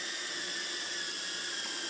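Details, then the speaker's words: Budget 4S DJI Digi hex-copter in a Betaflight motor check, with motor remapping and flight controller and ESC updates still pending: the motors jump, giving a shrill wavering whine; uneven spin-up, cause unclear. "Well, they kind of just jumped. I don't like the way that sounds."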